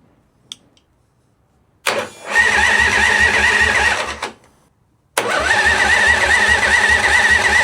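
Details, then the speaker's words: 1985 Harley FXWG with China CV40 carb, in neutral, first start after refitting gas tanks: two bursts of even starter churning, no catch; cranks but won't start, owner suspects not enough fuel in tank, switches to reserve. "Not starting. Maybe I didn't put enough fuel in."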